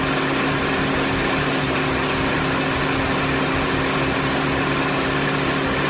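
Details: Mini after head gasket and timing chain reassembly, fresh oil, first run: even, steady petrol engine note with smooth hum and no ticking, knocking or misfire; started slightly rough but runs great.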